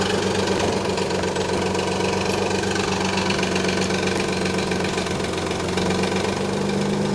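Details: 1991 Nissan 300ZX at idle: a fast, loose rattling slap about four per second that goes away after about a minute of driving; the timing belt tensioner had collapsed, leaving belt play, and both idler pulleys were noisy. Codes 13 and 34 were set.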